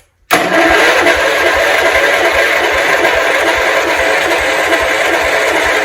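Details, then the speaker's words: 1971 John Deere 140 H1 garden tractor, 40th built that year: steady even cranking about two beats a second with no firing; cranks but won't start, owner checking whether an exhaust valve is stuck open. "It tried, so at least we know it's doing something. We didn't get it to start, unfortunately. However, we got very close."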